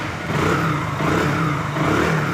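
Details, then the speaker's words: Hero Glamour bike, only about 400–500 km since another mechanic's full engine rebuild, running with the clutch being released: rough rumbling clatter under the exhaust beat, rising and falling with throttle. "इस type का sound ए रहा है engine से और देखिए दोस्तों मैं clutch छोड़ रहा हूं अभी साउंड ए जाएगा"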